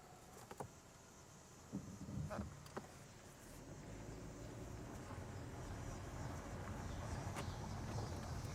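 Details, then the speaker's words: Mercedes CLS 400 M276 V6 after passenger-side camshaft and cam phaser replacement: low steady idle with no rattle or clunk, previous rattling gone; check engine light still on. "The engine sounds good. No more clunking noise."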